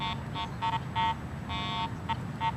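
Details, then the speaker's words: Garrett AT Pro metal detector ground balanced for neutral soil, swept over a highly mineralized dirt pit: short mid-pitched beeps keep chirping with no target, ground noise from improper ground balance. "it's clearly picking up the soil here this mineralized ground"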